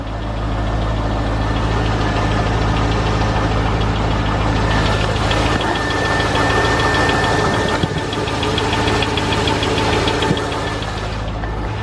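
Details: Corvette at warm idle, 39 psi oil pressure cold: steady light ticking about three per second over the engine drone; owner suspects rod knock, lifter tick or AC belt, unconfirmed.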